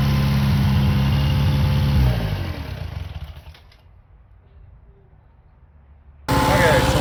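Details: Restored long-stored 6.5 kW gas Kohler marine genset from a houseboat, bench run with bucket water pickup at about 30°F; steady even drone, then revs sink smoothly to silence before splashing; runs fine.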